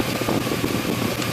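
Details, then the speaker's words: 2002 GMC Sierra V8, warm idle after a drive, about 80°F, in an echoing garage: quick light ticking knock from the heads near the coil packs; lifter knock from sludge, treated with carb cleaner. "you may hear the knocking come from from this general area"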